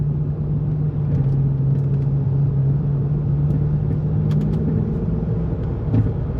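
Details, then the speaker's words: Rebuilt Chrysler 300C on a test drive after the original wheel hub was reinstalled: low, even road rumble with no growl, whir or rhythmic hum rising with speed, much quieter, slight tire noise from cupping; normal hub. "can hear that much quieter um and then also stairs much better which is great"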